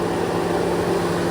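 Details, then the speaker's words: 2014 GMC Sierra with the engine off and the radiator fans still running, a steady whooshing roar with a low hum. Stated cause is a faulty coolant temperature sensor and a bad thermostat, both replaced as the fix: cooling fans running with engine off. "this is a 2014 GMC Sierra the engine is off but the radiator fans are still running so apparently this is a pretty common issue with these trucks"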